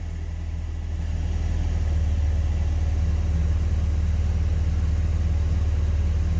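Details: Classic carburettor and distributor car (Project Ruby) at warm idle after ignition timing set: steady, even low rumble with no misses, knocks or hunting; engine idling smoothly with timing correctly set.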